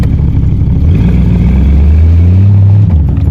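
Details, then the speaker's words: 1984 Corvette, 350 small block with Holley 1460 carburetor, rejetted, timing advanced toward 34–36 degrees: low idle, then a quick throttle blip where revs lag and stumble before climbing; hesitation on snap throttle, accelerator pump suspected, not confirmed. "Something's not quite perfect, and we're gonna get it. It's more so when I give it like a quick burst of throttle, like yesterday."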